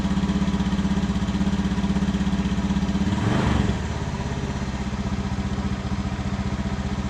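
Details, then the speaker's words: Honda Beat FI scooter with new battery, before plug change: runs only at idle, ticking over fairly evenly, then stumbles and sags on throttle blips instead of revving; a new spark plug is fitted next: misfire, spark plug suspected. "kalau kita gas dia brebet seperti tidak bisa ya tidak bisa diangkat gas ya teman-teman ya kita coba ganti untuk businya apakah bisa sembuh untuk penyakitnya atau bagaimana ya"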